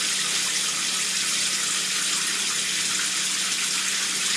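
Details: GE Adora PotScrubber dishwasher after replacing its bound-up drain pump, with the tub prefilled from the cold tap. A steady rush of hot water into the tub, with no hum, grinding or knocking; a normal fill before the drain test.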